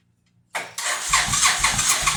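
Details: 2005 Suzuki Boulevard S83, sat four or more years, weak battery, choke on, leaking fuel line: short crank, then the engine catches with ragged uneven pulses about four a second; a rough, struggling start.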